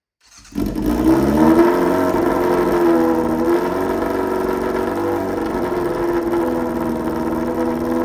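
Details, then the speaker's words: Restored Yamaha Fazer 600 on its first run in 2.5 years, float-area fuel leak just fixed, no air filter, running straight into the carburettors. Barks into life, revs loud and lumpy, then settles to an uneven, wavering idle. Rough running, mixture suspected, not confirmed. "That was the first rev in 2.5 years. Oh, you beautiful thing. That was loud."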